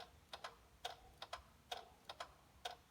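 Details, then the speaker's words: Hyundai Santa Fe with overnight battery drain, during parasitic draw test, engine off: after pulling and refitting a fuse showing a 0.05 voltage drop, quiet crisp paired clicks about once a second; suspected relay cycling, earth strap later found. Not confirmed. "Now I went in to go looking to see where the clicking was coming from. Was it a relay or something like that?"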